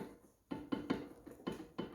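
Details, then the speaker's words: Renault Sandero front suspension: sharp hollow clunks, about five in under two seconds, as the removed front shock absorber rod is worked by hand; no play in ball joints, control arm or steering rack, car knocked heavily on the road: shock absorber rod play. "a folga na Ásia e esse aqui é o barulho do carro bom então galera fica a dica aí ó o carro tiver batendo muito e não tiver nenhum tipo de folga na suspensão desmonta amortecedor verifica-se numa folga na haste aqui da do amortecedor dianteiro"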